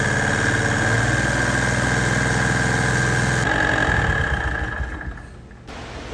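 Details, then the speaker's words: John Deere AMT 622 small engine started after oil change: loud regular knock about 200 a minute over the idle, dropping away at shutdown; engine knock, suspected rod bearing. "definitely hear that sound man that is loud I'm pretty sure there isn't anything that would quiet that down"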